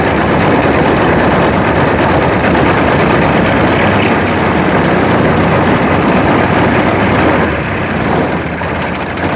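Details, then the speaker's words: Homemade mini Jenny JN4 WW1 replica aircraft two-stroke engine after 13 years sitting: loud ragged buzz with irregular popping and surging, never settling into an even beat; rough running, cause not found. "I don't get it but there you go hers like a kitten on methamphetamines I'll call it a win huh"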